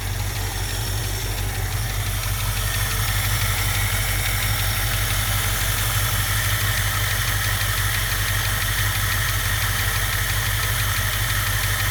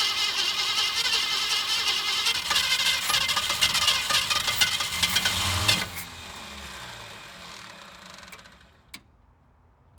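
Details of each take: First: 1967 Mustang convertible V8, parked since about 1994 (29 years), after all rubber fuel lines replaced: steady, even deep idle rumble with no misses or surging until shut off, though smoking badly; owner assumes gaskets are bad. Normal idle. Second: 1967 Ford Mustang convertible, first start after 29 years parked, cold snowy day: catches and runs ragged about six seconds, then fades and dies; runs fine but isn't getting fuel, fuel starvation.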